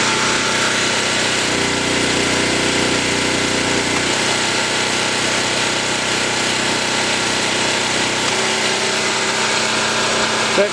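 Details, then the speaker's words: New portable camping generator on first run, in rain, under about 50% electrical load: steady even drone with constant note, no surging, missing or knocking, producing power; normal running under load. "we should be able to tell by the about the change in the sound if it actually is producing power yes it is"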